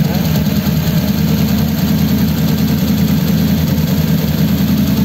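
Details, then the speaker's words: 1933 coupe hot rod, mostly stock engine, just started after a dual carb conversion. Steady, even low idle rumble with no misses, knocks or hunting, running smoothly on both carbs; nothing wrong. "nothing wrong with that nothing wrong with that"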